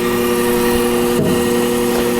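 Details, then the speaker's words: D&M4 Sherline-based CNC mill spindle after replacing its DC spindle drive with a KB Electronics KBIC-120 and SI-5 signal isolator, run on Centroid Acorn at a commanded 1,000 RPM; tachometer reads 990–994 RPM. Clean steady whine over an even hum, a normal spindle run. "hitting it with tachometer. 993 RPM. That's dang close. 990, yeah, 994 actually."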